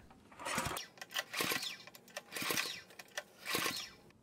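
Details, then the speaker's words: Compression test on a Honda GX200 clone that won't start for lack of spark, with a gauge in the spark plug hole: four even recoil pulls against firm compression, no hiss. About 40 PSI, normal for this engine. "So, the needle went up just below the 50 mark, which looks like around 40 PSI, which I know is normal for this GX 200 clone."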